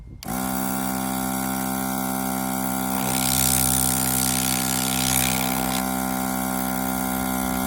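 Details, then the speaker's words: Berkut R20 compressor after repair with new real aluminium cylinder and gasket kit: even, steady motor hum with constant pitch, no knocking or rattle; sound completely different from before, running smooth and healthy. "в общем все разобрал беларусь этот конечно ну звук вообще другой абсолютно"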